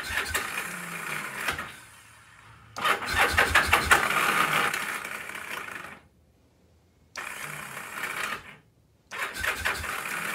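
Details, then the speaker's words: Free old Kawasaki KZ750 motorcycle: cranking bursts with no firing, starter kicks out (suspected starter clutch gear), carb cleaner didn't help; turns over but won't start, no spark, points ignition to be checked. "starter keeps kicking out too but [Applause] you're a bad gear on the starter clutch somewhere does have a kick starter but I do not see any spark"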